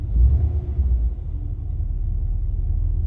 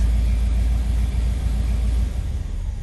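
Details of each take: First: 1985 Chevrolet Caprice Classic, 5.0L 305 V8, about 152,730 miles, after EGR valve replacement. Low, even idle rumble with no misses, knocks or hunting, compared with the earlier low, rough, stalling idle. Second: 1985 Chevrolet Caprice Classic, 5.0L 305 V8, about 152,730 miles, warm, before repair. With the foot off the gas, the idle is low, lumpy and sagging and wants to stall. The owner suspects a faulty EGR valve.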